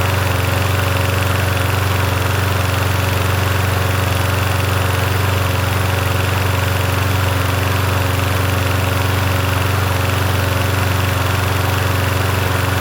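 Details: Yard Machines 21-inch push mower, 163cc engine, in cool 50s weather: small engine holds a steady, even drone with no hunting, surging or missing beats; running smoothly.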